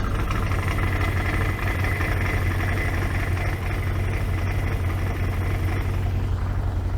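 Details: 2014 Can-Am Commander 800 idling with a long-standing squeak and rattle from the primary clutch: steady low idle with a faint metallic rattle over it; the owner later finds a part missing inside the primary clutch.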